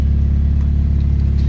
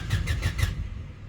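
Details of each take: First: Honda EK Civic with a swapped SOHC VTEC engine, running again after nearly 3 weeks of not starting and many parts replaced. The P1259 (VTEC) code was cleared. Steady, even low idle with a constant rumble and no knocks or stumbles: normal idle. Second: Honda Civic EK SOHC VTEC with new fuel pump, pressure regulator and filter: a short burst of starter cranking at about six pulses a second, then quiet with no pump hum and no fuel delivered; relays and fuses are being checked next.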